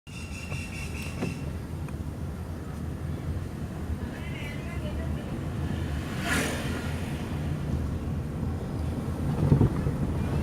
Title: Toyota Prius Hybrid Check Engine Misfire Faults